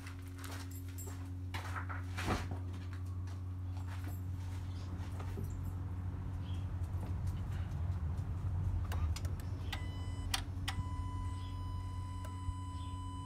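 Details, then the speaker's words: Jeep Renegade after battery replacement with a new battery (12.51 V resting): engine idling smoothly with a steady, even low hum, alternator charging correctly at about 14.5 V (13.8–14.8 V range); normal idle. "Tá carregando certinho, né? 12 1450 e poucos."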